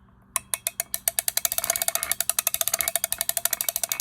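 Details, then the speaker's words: Catalina No 804 (Jogenson Z-12) spinning reel before service: fast light clicking up to about ten ticks a second while cranking, with tinny rattle and vibration; owner suspects lack of lubrication. "The bail trips beautifully, but it does have this vibration in here when you wind it uh from probably just from lack of lubrication."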